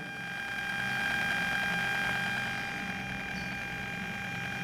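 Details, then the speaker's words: Bluetooth module and amplifier board fed from the same 12 V supply: thin steady whistle with fixed high tones under faint hiss, present even at minimum volume and not tracking it; interference from the shared power supply, fixed with an isolated 5 V supply. "y a pesar de que estamos en el mínimo volumen como ven 0 0 puedo subir o bajar con el control que ya incluye este tipo de módulos igualmente se escucha esa interferencia"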